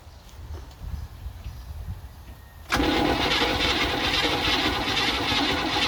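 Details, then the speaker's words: Old antique car with unknown carburetor, fuel poured into the bowl: quiet, then starter cranks loudly and steadily about three or four beats a second without catching; hard starting, owner thinks it may be flooded. "That sounded a little bit like it wanted to turn over."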